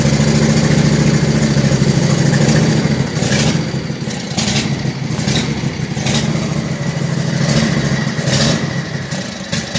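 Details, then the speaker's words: Troy-Bilt zero-turn with Briggs & Stratton Intek 23 HP twin, air filter refitted: low rumble whose speed rises and falls every couple of seconds at low rpm; surging, air filter ruled out, internal carburetor problem suspected. "when I put it back in slow low rpm started to search so that just confirms that the air filter was not the issue there's an internal problem with the carburetor"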